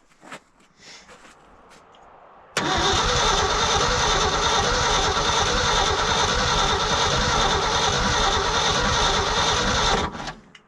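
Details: Old Ford dump truck that sat for over 20 years, cranked in the cold. About seven seconds of steady cranking at roughly three turns a second never catches, meaning no spark, with the ignition points stuck.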